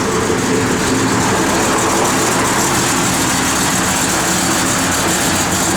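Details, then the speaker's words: 1971 Chevrolet Chevelle SS, 383ci small block with Comp 270 cam, roller rockers, Holley dual-feed 4bbl, headers, Flowmaster dual exhaust: loud, choppy idle with uneven lope to exhaust pulses; normal idle with performance camshaft, good oil pressure. "Nice little comp cam in it. Car gets its R's quick. It runs."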